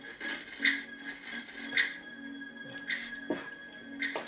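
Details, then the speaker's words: Commodore 1084ST monitor speaker playing music: sharp crackles and scratchy bursts as the volume knob turns, with sound from only one channel. Suspected dirt on the volume control needing contact cleaner; unconfirmed. "I think that needs contact cleaner. That crackling."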